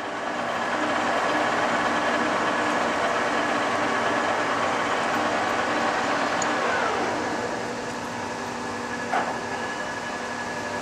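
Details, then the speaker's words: TOS B40 16x41 toolroom lathe run at its top spindle speed of 2000 RPM (range 22.4–2000 RPM, 24 speeds): an even, steady gear and spindle hum with no knocks or grinding, then a smooth coast-down. It sounds healthy. "It's 2,000 RPM. 2,000 RPM, big guns. All right. Well, that sounds great."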